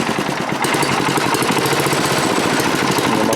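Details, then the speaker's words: Manco Rattler II go-kart small engine on a cheap nine-dollar carburetor with no choke, still a little cold, throttle shaft play shown: idle rises and sags unevenly instead of holding steady; idle hunting from worn carburetor. "so far it's running better than it did all right so can you hear it searching well let me show you why the nine dollar carburetor is nine bucks"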